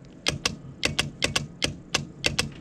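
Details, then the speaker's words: Winch for a gooseneck trailer, bench-tested on a battery via winch controller, winch-in command: sharp dry clicks in uneven pairs, about three a second, no motor hum; solenoid chatters but motor won't turn, motor to be tested next. "So you hear the clicking, something's going on."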